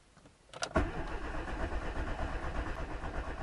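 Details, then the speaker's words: 15-year-old car just after an oil change with Genesis oil and a new SCT filter, cranked with ignition off via a button to fill the filter: even cranking pace with no firing, building oil pressure before start; normal. "У меня кнопка. Можно покрутить двигатель без зажигания."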